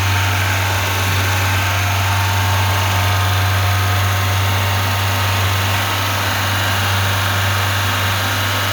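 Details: Lada 2104 carbureted engine running without choke on fuel poured into the carburetor; loud even idle with a deep steady hum, no stumbling. Owner suspects a bad fuel pump but is unsure.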